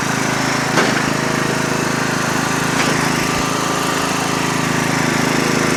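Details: Lawn tractor small engine started after fuel shutoff opened: steady, even putter at constant speed with no misses or knocks; running healthy.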